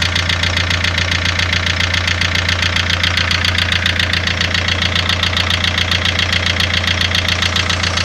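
Steady idle with a sharp, even tick-knock about 146 a minute riding over it; a clear mechanical knock, source not pinned down.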